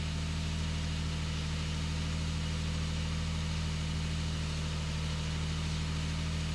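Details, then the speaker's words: 2008 Nissan Frontier VQ40 V6, first startup after installing new Z1 high-energy coil packs. Steady, even engine drone with no misfire stumble or ticking. Normal running. "This will be the first startup with the new coils. Looks good, running smooth."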